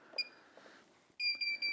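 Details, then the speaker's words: Smart Garage roll-up door opener motor (GDO-06) during remote coding, door code button held: sharp high beeps, one short then faster steady beeping, stopping once the remote is coded. "So once, now you can hear that the motor's beeping faster. So I'm going to hit it a second time, and now it's coded. It stopped beeping."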